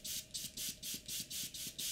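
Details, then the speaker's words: Airbrush on compressor air: rapid sputtering, clicking pops about four a second over a thin steady hiss, louder as air pressure increases; the air valve assembly underneath has come loose, giving a poor seal and leaking air; tightening fixes it. "okay so if you can hear this noise you hear about clicking but popping sounds what that is is this under here is not screwed in properly so this part here this one has become loose"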